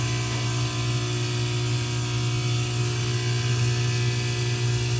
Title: Heating unit making noise again